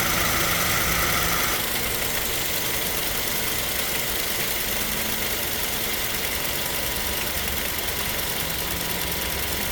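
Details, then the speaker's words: 2007 Toyota Tacoma at idle with the AC switched off. Steady, even idle with no clutch click or compressor drone, and the compressor pulley not spinning. Normal idle with the AC compressor disengaged. "okay I turn it off and I guess it's not spinning now"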